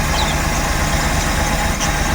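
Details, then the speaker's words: Suzuki Every Wagon (DA64W) kei van petrol engine idling with strong vibration that is worse with the AC on. An uneven, shaking low thump comes from a misfire in one cylinder, and the tensioner bearing and belt are also noisy. "ganito Meron yan na misfiring isa sa mga cylinder so titingnan natin kung ano yung misfiring niya kung ano yyung cause"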